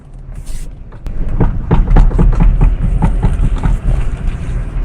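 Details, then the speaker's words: Audi A6 C5, pulling away with the steering at full left lock: quick run of sharp clicks, about four a second, over low road rumble; worn left outer CV joint clicking, no clicking on right lock. "I hope it's clearly audible in the video how the CV joint is clicking"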